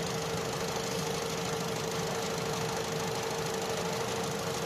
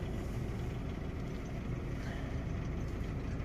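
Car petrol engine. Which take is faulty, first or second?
second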